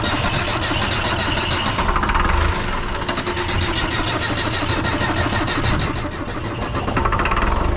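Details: Lull Highlander 844 telehandler diesel, abandoned about three years, given starting fluid: long uneven cranking, then it catches and settles into a rough, loud idle while blowing out water; hard start after sitting.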